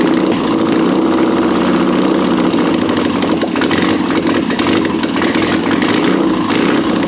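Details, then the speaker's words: Air-cooled 1600cc VW Beetle flat-four, a candidate for a 1974 VW Bus project, running with no exhaust or headers fitted: loud, raspy, even running with no knocking, a healthy engine. "now that is what I'm talking about we got that to finally run I didn't hear any knocking anything like that sounds freaking good"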